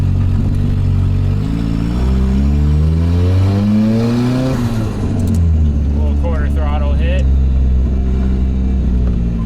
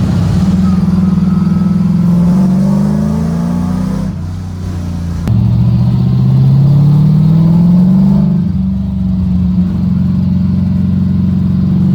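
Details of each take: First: LS-swapped Mazda FC RX-7 drift car with full exhaust and a big coolant leak, on a short drive; loud raspy rising engine note with rough chuffing under light throttle, sounding like a massive exhaust leak. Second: LS V8-swapped Mazda FC RX7 drift car, not driven in a while, on a test drive down the street doing a couple of pulls: strong V8 pulls with clean rising pitch through the gears, smooth and even, no knocks or misses; runs good.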